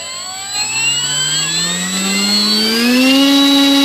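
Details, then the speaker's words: Horizon Hobby Blondie 1.2 m warbird held by hand with a swapped prop at 100% throttle: a clean whine climbs smoothly to a steady high pitch, with no wobble or buzz and very limited vibration. Normal full-throttle run. "100%. Sounds good. Feel very limited to no vibration, so we're going to call it good."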